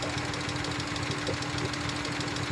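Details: Uneven, stumbling idle over a steady low hum, pulses dropping out irregularly; engine down on power with no misfire code, owner suspects the MAP sensor or a big vacuum leak: misfire at idle, cause not confirmed.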